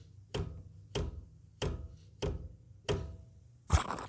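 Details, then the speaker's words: Honda Activa 125 BS6 center stand operated after new bush fitted: six firm clean clunks about half a second apart, no squeak or rattle; normal center stand operation with new bush working properly. "ये sound का मतलब यह है की जो Bush है अभी एकदम न्यू है और प्रॉपर्ली वर्क कर रहा है ये साउंड आपको भी आणि चाहिए"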